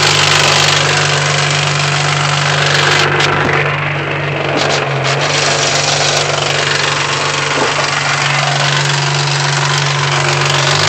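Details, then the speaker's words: 2008 Honda Civic Si in neutral with the clutch engaged: a loud, rough drone with a steady low hum and uneven rattle that fades when the clutch is pressed; also noisy in first gear; owner suspects the input shaft bearing. "ral um you just hear this I mean horrible sound and um then when I push the clutch in so when I disengage it when I press it down the sound Fades away"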